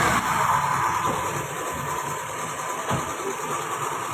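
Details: Toyota Vitz idling during misfire testing: uneven beat with occasional stumbles and soft thumps; misfire at idle, cause not confirmed.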